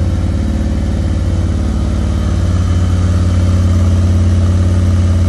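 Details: 2020 Harley-Davidson Road Glide custom bagger with 130-inch T-Man Performance engine, very first start of the fresh build: deep, even V-twin lope at steady idle, strong low rumble, no knocks or misses; normal idle.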